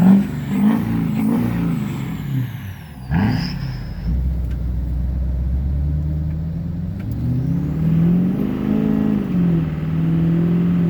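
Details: 2006 Chevrolet Silverado 6.6L Duramax diesel, Allison transmission, after replacing a cracked downpipe that caused boost loss and black smoke: steady low diesel rumble with a couple of clean revs rising and settling back, no leaks or knocks; normal.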